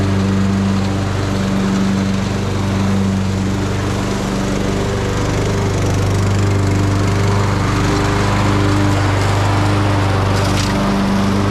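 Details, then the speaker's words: Craftsman YT3000 riding mower on its test run after new tie rods, a drag link, a valve cover gasket and a deck belt: a steady, smooth engine drone at even speed with no knocks, surging or grinding. Normal running. "but we'll fire it up and test it out make sure that deck belt works and everything and then this one will be good to go"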